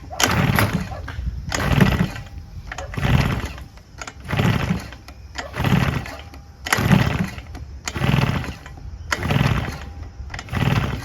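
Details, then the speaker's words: Husqvarna 150BT two-stroke backpack leaf blower that won't run: about eight slow recoil pulls, each a brief rasping spin with no firing; no spark found on tester, scored bore from unlubricated running suspected; cranking, no start. "that's no signs of it starting"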